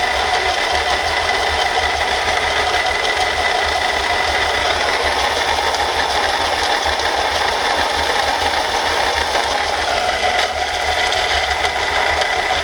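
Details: Mercedes-Benz C240 at idle with a thin rattling chatter and faint whine from the front of the engine. The water pump bearing broke, making the pump wobble and leak coolant.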